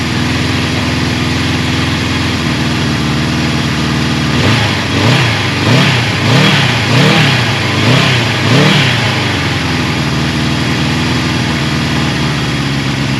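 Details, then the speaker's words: Low-mileage 1981 Suzuki GS550T bought as a non-runner, cold start with about 1/8 choke: even steady four-cylinder idle with a few clean throttle blips, no knocks, ticks or rattles, running on all four cylinders. "It's a cold start. And as you can hear, the bike doesn't make any bad noises, so I'm just super excited about that. It's running on all 4 cylinders."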